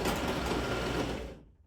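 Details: Screw-drive garage door opener after replacing a broken coupler and resyncing the slide and motor position. It gives a smooth, even whir while running, then stops cleanly with no grinding or clunks; the opener sounds healthy.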